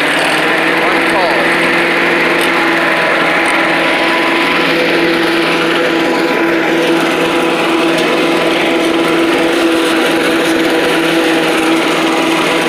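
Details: Old Rover Turbothrust mower built in Brisbane, Australia, no battery fitted, cutting grass into the bagger: a loud, steady high buzz holding speed without sagging or misfiring. Normal running under load; owner thinks the blade brake shoe may need replacing.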